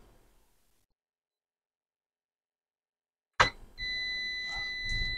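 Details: HP EliteBook 840 G5 not powering on, 12–13 V rail missing: probe click then unbroken high multimeter continuity tone on an N-channel power-rail MOSFET, shorted, removed with hot air.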